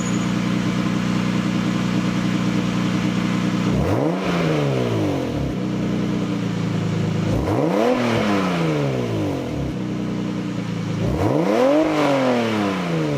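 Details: Lexus SC300 before repair, leaking exhaust mid pipe: three revs from idle with a choppy, puffing edge on the engine note; exhaust leak, later fixed with a Toyota Supra TT mid pipe.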